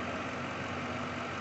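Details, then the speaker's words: 2003 Lincoln Town Car 4.6 V8 after repair: steady, even idle with no shaking. It previously shook with P0300 misfires on cylinders 2, 4 and 8 after an intake manifold job, caused by loose injector connections. "Bueno pues aquí Parece que ya se arregló problema si pueden ver el carro está bien parejito y no está temblando"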